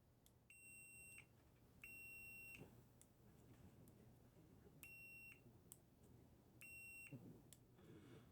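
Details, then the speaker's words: Custom drone build on the bench, motors not yet soldered; the controller gives repeated steady high beeps, each about half a second, warning of no radio connection; repeated beeping, no radio link. "Now, you may not hear these beeps once I run this through the DaVinci Resolve AI sound. So No connection."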